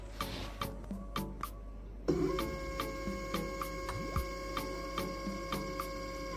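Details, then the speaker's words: Homemade GRBL CNC controller (ATmega328/Arduino Uno with A4988 stepper drivers) on a 24 V adaptor after wrong-voltage supply: short regular buzzes and steady whine as X then Y axes move smoothly; normal stepper motor motion. "Oke, bergerak normal sumbu X-nya. Kita coba sumbu Y. Oke, sumbu Y-nya normal teman-teman."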